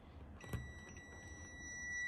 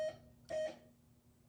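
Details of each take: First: 1978 Gottlieb Close Encounters pinball (System 1), first power-up: multimeter continuity test across 2N3055 solenoid 8 driver transistor, collector to emitter, gives steady unbroken beep, a dead short; transistor has failed, pre-driver tests okay. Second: 1978 Gottlieb Close Encounters pinball (System 1), first power-on since the 1980s during restoration: two short clean electronic tones half a second apart over faint hum; sound board transistors working, tone output fine.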